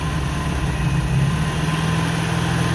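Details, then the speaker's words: 1970 Honda N600 microcar engine after getting it running in the shop: steady low rumble at idle with an even firing beat, no knocks or misses, healthy while warming up; slight smoke, fuel mixture may need adjusting. Normal idle. "Oh, there we go. It's running. Wow, that's the stuff. Yeah. Everything's working all right."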